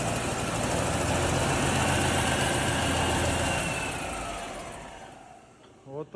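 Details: Small diesel engine after a full overhaul, to be fitted to a YuMZ-1054 tractor: settles into an even, steady idle knock near four beats a second with no odd clatter, then shuts down; runs healthy.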